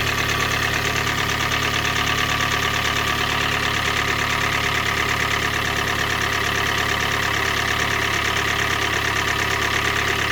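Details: 2013 Hyundai i30 GD 1.8 automatic hatchback idling with an even hollow knock about three per second; piston slap, recorded per TSB 21-EM-001H.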